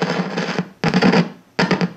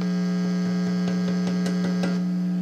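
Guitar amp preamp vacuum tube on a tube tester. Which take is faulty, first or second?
first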